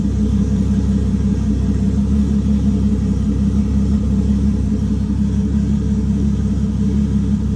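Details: Toyota 2JZ six-cylinder on ECUMaster EMU Black, full sequential fuel and spark triggered from the distributor; after warming up a little, deep steady rumble with even pulses, no misfire, free-revving nicely.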